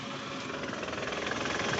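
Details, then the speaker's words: Toyota Camry engine before repair, shifted into R: dry, busy rattle over a rough idle with a low thump from a worn balancer shaft, and the engine mounting is loose and shaking; rattle stops in neutral. Balancer shaft and mounting to be replaced. "Nah, ini bunyi balance resap, terus engine mountingnya ini goyang juga ya."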